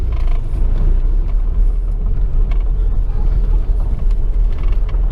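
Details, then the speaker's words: Chevrolet Corsa sedan on a rough road test after reassembly: heavy low cabin rumble with scattered irregular knocks and rattles from the doors and dashboard, echoing inside; front bumper found loose. Suspected body/dashboard rattle, cause not confirmed. "rồi làm sao mọi thứ có ổn không Tôi ở cách đây 20 km bạn thấy bảng điều khiển khẳng định việc đình chỉ của Justice guys tiếng ồn lớn nhất nó thực sự vang vọng bên trong đây là cửa bảng điều khiển của chiếc xe"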